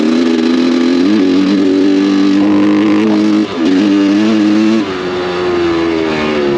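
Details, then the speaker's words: Honda CR500 two-stroke before new carb and reeds: burbles unevenly with a wavering tone and no clean crisp note; runs poorly from broken reed petals and a carburetor flooding fuel out past the float. "So this thing did run, but it didn't run like crap."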